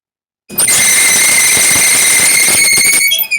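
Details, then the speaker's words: Maytag 2000 Series dryer running: loud steady high-pitched squeal from a dry, binding idler arm pulley, confirmed by watching it spin; idler to be replaced. "definitely that idler arm so we're going to change that out"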